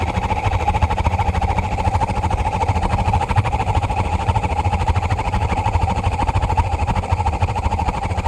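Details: 50-gallon gas water heater, after low thermopile voltage delays ignition: constant heavy roar with fluttering pulse and steady mid tone; burner flame too big and loud, inner pipe glows red hot if not shut down; cleaning didn't help.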